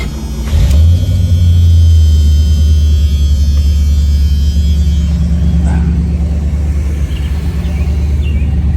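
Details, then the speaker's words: 1976 Chevrolet Corvette, numbers-matching rebuilt 350 V8 with more performance, Borg-Warner 4-speed; at startup a brief high surge settles into a strong, deep, steady, even idle with no knocks or misses. Normal idle, turnkey and smooth. "Turnkey, smooth, sounds great. I'm going to fire it up now."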